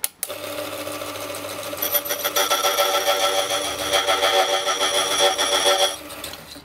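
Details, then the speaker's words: Restored older Silca semi-auto key machine with cutter installed, test-cutting a key in half to check the belt; steady high whir with light, even cutting chatter, no strain or squeal; normal cutting. "if effortlessly we just cut the whole key kind of in half you didn't even hear it so that's perfect"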